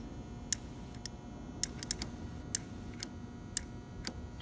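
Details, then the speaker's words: Torch touch-off switch audible test: crisp, sharp clicks as the torch lifts off the switch in a quiet room; the click means the switch works, and no click means it needs replacing. "an audible click as I lift the torch off the switch. If you don't hear that audible click, then the switch isn't working and you need to replace it."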